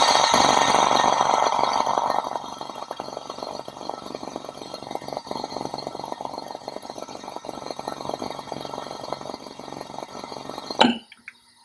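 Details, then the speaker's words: Bebco EPS 5500 manifold purge and pressurization system, live demo: enclosure pressure rises above P1 with the needle valve opened and the solenoid valve energizes; steady rushing-air hiss with faint rapid buzz, cutting off sharply; normal purge flow. "once that gets above p1 it's going to start turning on this solenoid valve and then you'll really hear the air flowing in"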